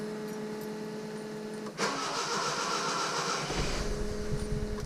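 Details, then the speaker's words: Datsun 620 just fitted with Megasquirt EFI fuel and spark (modified Suzuki distributor with trigger wheel, two Subaru injectors, GM air intake sensor): starter cranks, engine briefly nearly catches then fades; owner reckons it needs a bit of throttle. "almost went i reckon he might need a bit of throttle"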